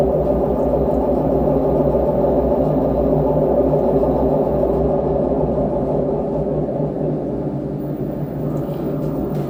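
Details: LG direct drive washing machine, drum turning: deep droning rumble with hollow gong-like ring; drum bearing suspected worn, before bearing replacement.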